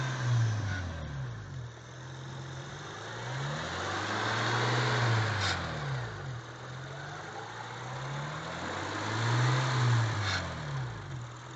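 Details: Honda Accord V6 with Magnaflow catback revved in swells: metallic grinding rattle near 2000 rpm, loudest under front, worse under load; cause was heat shield over catalytic converter.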